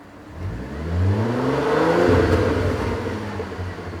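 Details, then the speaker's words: Audi S4 3.0 supercharged with test pipes, after fitting Magnaflow resonated X-pipe: rev climbing smoothly and easing down, deep even note, no rasp; much better though not perfect. Normal exhaust note on revving. "And it's so much better. And that is how the exhaust sounds right now with that new resonator."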